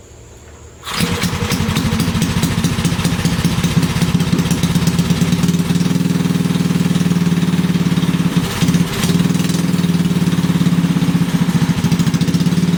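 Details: Briggs and Stratton 5HP engine after starter clutch (sprag) replacement with new part: fires on first pull and settles into an even, steady idle with no misses or knocks; normal running.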